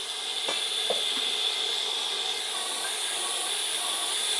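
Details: Test boiler with 19 tubes (flues), two of them leaking, pressurised with air before plugging: a steady high-pitched hiss with no engine running as the air bleeds out through the leaking boiler tubes.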